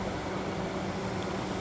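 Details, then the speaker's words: 1998 Jeep Grand Cherokee 5.9 Limited, cooling fan switch connected to its connector and heated with a butane torch, key on: steady even rush of air with faint hum, no rattle; electric fan has switched on, switch works. "So I don't know if you hear that, but the electric fan switch has now come"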